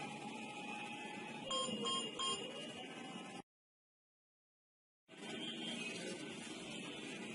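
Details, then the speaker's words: Three short high-pitched beeps in quick succession from the smart-home alarm host after pressing its button and waiting 3–8 seconds, confirming the water leak sensor has been successfully paired. "Now we press this button and wait for 3 to 8 seconds to listen to the 3 beeps. This will indicate that the device has been successfully added."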